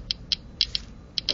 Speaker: taking the four sheets of aluminum foil again we insert these still no change in the clicking rate so gamma particles are not blocked by aluminum foil